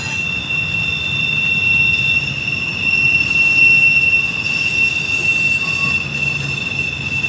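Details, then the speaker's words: Intermodal freight train with USPS containers rounding Horseshoe Curve, Pittsburgh main line, wet day, picking up speed, no helpers: steady high-pitched squeal over rolling rumble, one wheel squealing on curve; hot wheel suspected, not confirmed. "Seems to be picking up speed. Definitely a squealing wheel right there, Hot Wheel."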